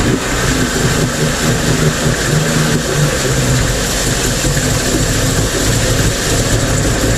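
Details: Mercury 50 two-stroke outboard (9M9XM00591C1), owned from new, in a final test run after a fuel filter replacement. It gives a steady, even burble with no stumbles, misses or surging throughout, the best idle since new: normal idle.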